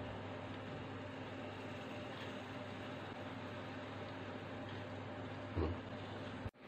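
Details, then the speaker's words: Clip fan that hummed but wouldn't spin due to a seized armature, reassembled with blade and powered after repair: quiet even airy whir, faint low hum, no scraping; normal running. "දැන් current එකට ගහලා බලමු අපි වැඩ කරනවද කියලා. ඔන්න පෑන් පෙත්ත වැඩ කරනවා."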